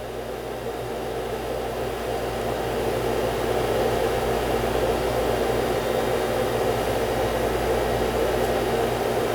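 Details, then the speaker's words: Macintosh SE at power-up, internal hard drive believed to be a MiniScribe, machine oddly still booting from floppy: loud rough whooshing whir that builds then holds steady; suspected fault with the drive itself. "Ooh, that's not good. Okay. something with the drive itself."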